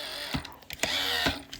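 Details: iRobot Roomba 694 wheel module, turned by hand and presented as the correct sound: light irregular ticking and soft gear whir, turning freely. A normal drive wheel.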